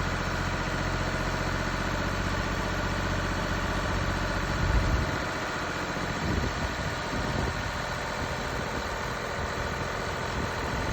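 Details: Mini Cooper D three-cylinder diesel at idle: uneven, gravelly rattle over the clatter that shifts as revs change, from a broken dual mass flywheel, which holds the clutch springs and fails through wear and tear.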